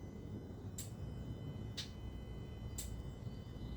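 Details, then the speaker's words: Jaguar AJ30 V6 with Motorsport Electronics ME360 ECU, VVT-A solenoid slow-toggle output test: four crisp ticks about a second apart in a quiet bay, solenoid switching cleanly and working. "Tick tock. Tick tock. So that's good. So that's you can actually hear it working."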